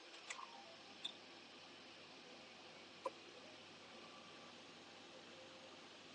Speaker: So once that's printed, you'll hear a lot of clicking from the head. That's just it refilling its sub-tanks and sorting itself back out again.